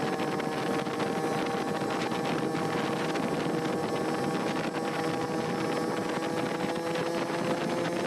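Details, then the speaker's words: Yamaha QT50 two-stroke with an oversized Mikuni TM24 carburetor, circuit pipe, and 210 main jet being tried during tuning: a high, steady buzz under load that comes on the pipe cleanly with no stumble, reaching 47 mph; runs better and cooler than before. "see how things were running better not quite perfect yet run a lot better than yesterday and a lot cooler than yesterday although I still think I need a bigger main jet"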